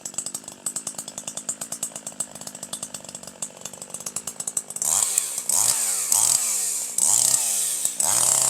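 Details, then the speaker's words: Older piston-ported chainsaw with the H (high-speed) screw set far too rich: uneven burbling, gurgling, stuttering four-stroking, short revs, hesitation, low RPM, little power and heavy smoke from inefficiently burned fuel; over-rich high-speed mixture. "There's way too much smoke, too much fuel being inefficiently burned and kicked out the exhaust. You're getting a lot of four stroking, gurgling, burbling sound, hesitation, very little power, low RPM"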